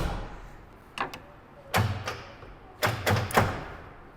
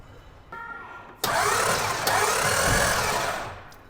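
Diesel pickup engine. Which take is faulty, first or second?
first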